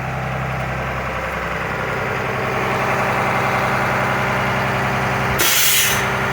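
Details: 2004 Blue Bird TC/2000 school bus diesel after long sitting, at idle with air built up: steady diesel idle, then sudden sharp hiss of air tailing off; air dryer purging normally once tanks are full.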